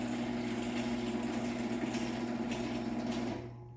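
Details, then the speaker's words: Late-1980s LiftMaster 1050-6 garage door opener with a loose chain: steady, coarse motor drone with a rough buzzing edge until it stops; noisy off the rail and due for a rebuild. "It's definitely more so off the rail that you can hear how bad this thing really sounds. So it's probably fine to put it on doors. It just will need to be rebuilt at some point if I want it to sound normal."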